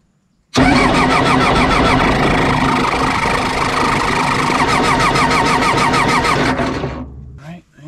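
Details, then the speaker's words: John Deere 755 turbo diesel crawler track loader, sat over 20 years; steady starter churn at about three turns a second for several seconds, never catching, while priming yields lots of air and no fuel at injectors. "well I've been fooling with this thing for a while trying to get it primed but I'm just getting a ton of air coming out of this and no fuel"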